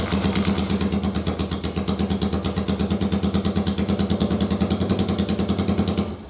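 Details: First-gen Yamaha Virago 750 V-twin, on a bare-bones harness after rockers and cams were redone following damage from a backwards oil filter: it catches, runs with a steady, even beat, then cuts off cleanly when the key is turned off.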